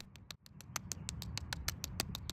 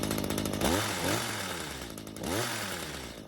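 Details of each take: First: Stihl hedge trimmer stored with fuel left in it that now won't start; its warped, cracked carburetor metering diaphragm gives dry, irregular crackling ticks about six a second when flexed because it has hardened, when it should be silent. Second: Stihl two-stroke hedge trimmer, stored with old fuel and wouldn't start. After another quarter turn on the carb L screw and a raised idle speed, it now catches, stays running and snaps up to high revs cleanly: normal running and revving.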